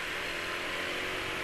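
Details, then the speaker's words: Yamaha NMAX scooter at idle: steady raspy mid-pitched whirring with no knocks, plus exhaust and CVT noise. This rough croaking tone is built-in character that oil cannot smooth out. Normal. "Juga ada beberapa bagian yang ya memang ciri suaranya kasar, yang nggak bisa diperhalus oleh oli. Kayak suara ini NMAX ini, suara kroak ini nggak iso."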